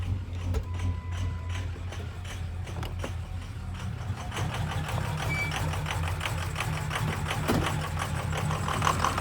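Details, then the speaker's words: 2003 Ford F250 6.0 Powerstroke diesel just after a cold start: uneven, lumpy clatter and irregular ticking, normal for its first 10 minutes; owner attributes it to stiction and suspects the injectors. "right so i don't know if you can hear but it's running pretty rough and that's normal the first 10 minutes or so after i start this thing it is useless"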